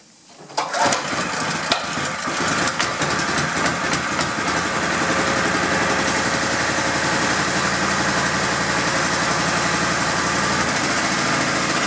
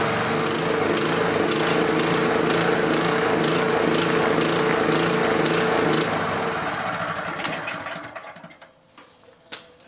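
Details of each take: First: Honda GX pressure washer engine that sat 10 years, after carb cleaning, old fuel drained, coil re-gapped, magnet cleaned, engine and pump oil changed and pump mounted. It starts on the first pull and runs steady and even, normally. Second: Honda GX pressure washer engine that sat about 10 years, running after the coil was re-gapped. It pulses fast and fairly even, then sags and stumbles to a stop. It runs lean and needs choke; the owner suspects a shifted fuel shutoff-valve gasket.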